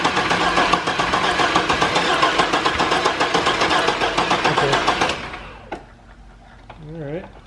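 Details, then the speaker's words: 1998 GMC Sonoma 4.3 Vortec V6 after engine replacement (old engine had rod knock): even starter cranking about four beats a second, never fires; owner suspects the distributor was set incorrectly, possibly 180° out. "i think i may have had the distributor cap or not the cap but the distributor set incorrectly"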